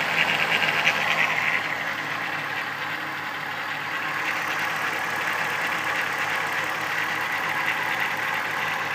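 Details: 1994 VW Golf VR6 at quiet idle with a light, thin rattle about three times a second: early-stage timing chain noise, before it got really bad; decided to replace the chain.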